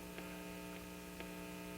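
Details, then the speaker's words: 1950 RCA 9-X-561 tube radio after recapping and replacing out-of-spec resistors: steady low buzzy hum that doesn't change with the volume control. A trial electrolytic capacitor had no effect; residual chassis hum is suspected. Mains hum, unconfirmed. "it doesn't really go away when I turn the volume down so here's the turn the volume up that turned down that hum is still there"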